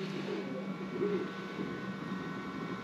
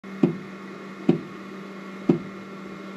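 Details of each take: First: FlashForge Adventurer 3 Pro 3D printer after replacing extruder gear: steady low motor hum with soft shifting tones as the head moves, no clicks or skips; printing normally. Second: FlashForge Adventurer 3 Pro 3D printer while printing: sharp single clicks about one a second, slightly uneven, over faint motor hum; extruder clicking/skipping before repair, cause not confirmed, extruder wheel replacement planned.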